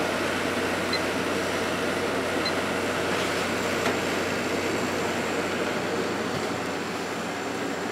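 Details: Hotpoint 8400 BTU window air conditioner (rated 8.3 A) after its damaged, cut power cord was replaced, on low. Steady, even fan rush with a soft compressor hum underneath, no rattles or squeals: normal running.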